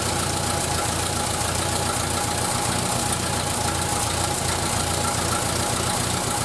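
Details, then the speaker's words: 1931 British Dodge Brothers UF-10 panel van engine idling slowly after restoration, running better than before: rough uneven chuffing and ticking over a busy hiss; exhaust manifold or inlet leaking. "Definitely exhaust inlet, or the exhaust manifold is definitely leaking, so I need to have a look at that."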